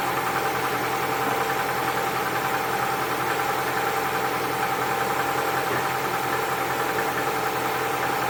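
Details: Cold engine at idle: an uneven, rapid knock over the engine note, suspected to be piston knock.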